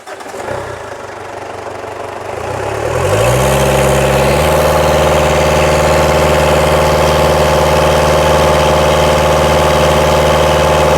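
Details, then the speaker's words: 2010 Ford Ranger (Mazda BT50) 3.0L turbo diesel with check engine light and P0107 MAP circuit low input code: the engine climbs, then holds a flat speed, back in limp mode and limited to 2400 RPM despite intake cleaning; MAP sensor replacement probably next. "all of a sudden it went back into limp mode and is back limited to 2400 RPM."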